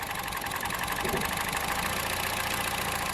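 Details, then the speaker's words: Budget hybrid build with two ignition coils per cylinder, one side's coils unplugged at idle: the idle turns lumpy and uneven, stumbling irregularly; misfire from an unplugged ignition coil bank. "If your car only has one ignition coil per cylinder, you'll see the motor bog out like I showed you when I disconnected both of them."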